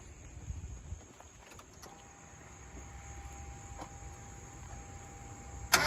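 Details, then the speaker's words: Mazda NA Miata MX-5 running for the first time after restoration, timing not yet set: steady mid-pitched hum over a low engine rumble, no knocking; the radiator fans running. "where's that noise come here it sounds weird [Music] it's the radiator fans oh"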